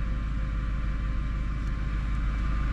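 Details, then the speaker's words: Car driven over bumps after lubricating floating suspension silent blocks with oil by syringe to cure squeaks; only steady low road rumble, no squeaks or creaks at all; quiet suspension. "никакого скрипа нет ни разу ничего нигде не скрипнуло"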